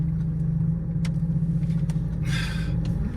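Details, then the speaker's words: 2.2 litre turbo diesel manual Land Rover Freelander 2 at idle during a three-point turn. Low steady drone, then sharp creaks and a short hissing squeal as the wheel turns heavy. Revving makes steering light again, so owner suspects a drive belt rather than the pump. "Weirdly though, if you rev in, the steering goes light again. So, which makes me think that it isn't the pump, it's some sort of drive belt or something perhaps."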